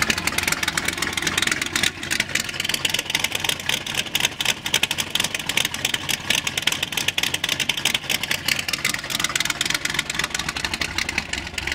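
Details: 1980 C10 with cammed V8 and gear-drive timing set at startup and idle: choppy, loping idle with busy mechanical chatter on top; lopey cammed V8 idle.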